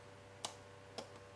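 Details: Replacement Ridge Ryder dual battery controller (voltage sensitive relay) just installed on a Toyota RAV4 dual battery system, after the kit-supplied SCA unit burned out. Two sharp, clean clicks about half a second apart over a faint hum; the relay switches over normally.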